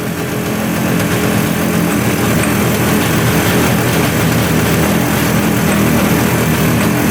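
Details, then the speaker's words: 1971 Suzuki T500 500cc two-stroke that sat 22 years: uneven, busy idle that picks up when the manifold is sprayed; intake air leak where the manifold gasket is missing. "So let's just check around the manifolds and everything for an air leak, because that's kind of what it sounds like. It sounds like it's sucking in air."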